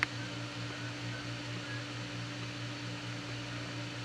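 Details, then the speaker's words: Aldi Adventuridge iceless electric cooler after the fan stalled on the medium setting and was turned off: a low hum with a faint, slow pulse that continues even when switched off; fan pulsing while off. "now I don't know if that stops after a while I haven't tested for that but it just keeps doing that even even when it's turned off which is kind of bizarre"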